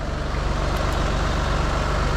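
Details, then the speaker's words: Heavily depreciated used Range Rover, electronic air suspension set to off-road (maximum) height: steady loud low hum with a fast even pulse as the compressor runs and the body lifts. No leaks or torn parts; suspension raises normally to full height. "제가 이제 가장 높게 올려놨습니다. 지금 소리가 나요. 올라가는 게. 지금 올라가고 있습니다."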